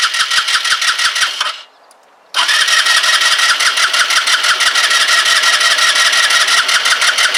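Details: Kymco Agility 125 scooter, long unused, fuel about to be squirted down the plug hole: starter cranks with an even beat of about three pulses a second and never catches; crank no-start, no spark.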